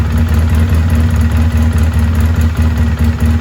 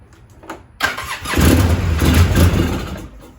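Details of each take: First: 2003 Polaris Sportsman 700 carbureted ATV, after no-start fixed by replacing diaphragm fuel pump, hose, fuel filter and switch: steady even low idle thrum with no misses, knocks or hunting; running normally. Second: 2003 Polaris Sportsman 700 carbureted, no start, carburetor already known good: fires on starting fluid and runs rough under two seconds then dies; ignition fine, fuel starvation from failed diaphragm fuel pump.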